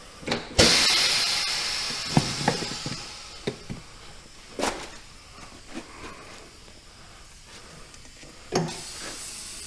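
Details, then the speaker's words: Tire being inflated to find a tiny leak gives a sharp hiss tailing off with soft clicks; air escapes seemingly all around the bead. "oh it sounds like it's going on all over so now to get this thing to leak the last time I had like 50 pounds in here to be able to see the leak"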